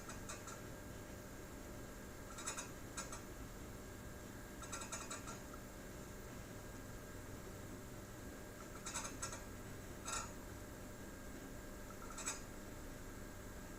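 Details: BenQ W5700/HT5550 projector during a movie with the dynamic iris on. Short gritty scraping bursts every couple of seconds over the quiet fan hum suggest internal mechanical grinding. The unit was replaced under warranty and the new one is almost silent.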